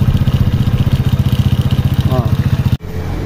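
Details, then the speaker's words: 2006 Honda Wave 100cc motorcycle idling after repair of a timing chain knock caused by a broken or too-soft tensioner spring. The idle is even and steady at about three beats per second, with no chain rattle or ticking, before it cuts off. Normal idle. "Oh, ayan mga papa. Tahimik na. Ayan. Kasi ito yung naging problema kanina."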